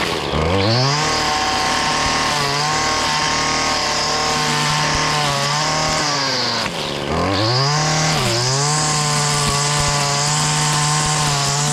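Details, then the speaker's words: Stihl FS70R trimmer after fixing bogging from an over-oiled fuel mix (carburetor cleaned, clogged spark arrestor removed): crisp rev to a high steady scream that holds while cutting vegetation, dips briefly and recovers; normal running under load. "but we got it back up and run as you see it cuts well nothing else to be said this is how I do it"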